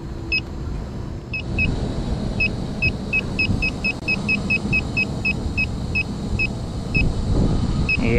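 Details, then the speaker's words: York rooftop unit with one of two circuits down, pressurized to about 200 psi with nitrogen: leak detector chirps speeding into rapid beeping over the unit's hum, sensing a leak at the coil. "yeah it's definitely sensing something in this area and I hear a little something too"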